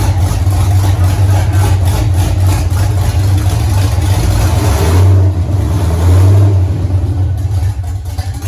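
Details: 1983 Mustang with cammed 5.3 LS from 2002 Avalanche, in park, thermostat not yet open, idle around 750 rpm: deep loping uneven chop, slight sag picking up revs; flat-spotted idle to be tuned, cylinder temps even within 10 degrees.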